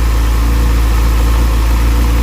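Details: Motorcycle idling after replacement of a failed cheap Chinese rectifier behind a burnt connector; charging about 14.4 V, unit warm not hot. Steady, even low rumble with no misses or knocks; smooth, healthy normal idle.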